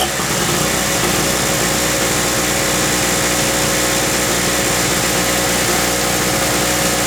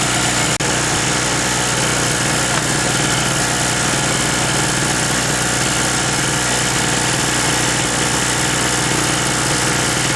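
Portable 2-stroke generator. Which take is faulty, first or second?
first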